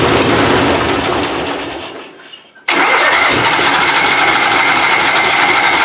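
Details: Puller engine "Plan B" on its first fire-up of the season after a new annealed head gasket and timing adjustment: winds down and stops, then refires into a crisp, even run. The gasket seems sealed, though the carburettor still needs tweaking.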